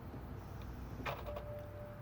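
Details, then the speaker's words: 2007 BMW X5 3.0si that won't start with battery seemingly good: one faint sharp click from the starter area when the key turns, then no cranking; diagnosed as a bad starter motor. "I'm going to go ahead and have my wife try and start the car right now. And you can hear it click down there."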